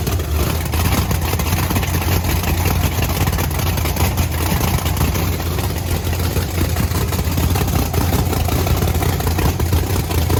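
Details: Blower V8 Camaro on methanol, fired up after topping up fuel; two bigger-jet cylinders read about 60–70 degrees cooler, not worrisome: loud, deep, steady lumpy idle, even beat, no knocks or misses; healthy.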